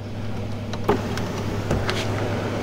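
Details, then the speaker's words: 2021 Kia Telluride after repair of a broken wind deflector and a sunroof knocked off its track, sunroof refitted and adjusted: steady low motor hum with a couple of light clicks as the roof slides fully open; working normally. "there it goes. That's as open as it gets."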